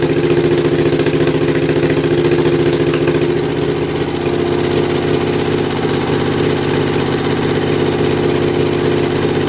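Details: Kohler Command V-twin mower engine revived after carburetor rebuild and starter install, no muffler, just choked: loud raspy fast even running, slight settling after a few seconds, no knocks or misfires; runs well, normal.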